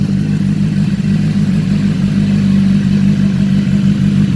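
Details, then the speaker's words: 2015 BMW S1000RR race bike on a lift with fairings off, after sitting about 6–8 months: smooth steady idle with a muted exhaust because it is half restricted, and no ticks or knocks; normal idle. "Really quiet. That's because these things are shut right now, right? It's like half restricted."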